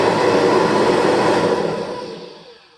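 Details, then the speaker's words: 1988 Kirby Heritage II, brush roll on, compared with a second machine; one has motor bearings likely untouched for 10–20 years and the other is fully refurbished with new bearings. Smooth even motor roar with the brush roll whirring, then a clean wind-down with no rattle or growl. Only a small difference; runs normally. "here's the Ohio machine hard to hear but there is a little bit of a difference but the difference is definitely small"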